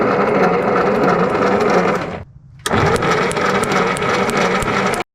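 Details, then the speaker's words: 1952 Willys pickup, off the road since 1991, cranked with a jumper feeding the ignition coil and plug wires refitted: uneven cranking broken by sharp pops and a brief pause; fires irregularly but never catches, cause not yet found. "now for some reason we got to turn this over it pops around on us"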